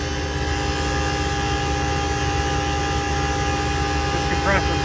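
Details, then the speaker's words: HVAC condenser unit compressor on a service call: steady loud drone with a hard high screaming tone; compressor straining, probably under high head pressure, suspected because one condenser fan isn't running; filters badly clogged. "like it's screaming it might be because that one Fan's not running"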